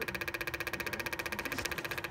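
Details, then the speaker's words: Fast, even clicking, about thirteen a second, from a boost-system actuator cycling over a running engine. Clicking is normal now that a bad connection, which was the problem, is fixed. "That's that clicking. Okay, so that bad connection was our problem."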